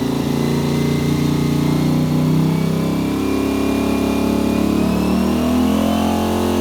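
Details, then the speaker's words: Yamaha Virago V-twin held at rpm with fan cooling, checking center link carb sync; revs smoothly and evenly, steady firing rising and settling, no misses; carbs in sync, little adjustment needed. "there we go so actually for this bike it doesn't need much adjustment"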